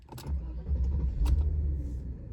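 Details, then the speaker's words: 1994 Mercedes-Benz S420 (M119.971 V8) after replacing the distributor cap and rotor: catches quickly and settles into a smooth, low, even idle with no stumbling. Starting and idle much improved since the replacement. "Since changing the distributor cap and rotor, starting performance and just idle has improved dramatically. It's great."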